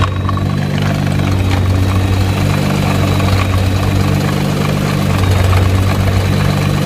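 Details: Nissan GT-R: steady low idle with a faint uneven rattle on top, not rising with revs; drive shaft rattle.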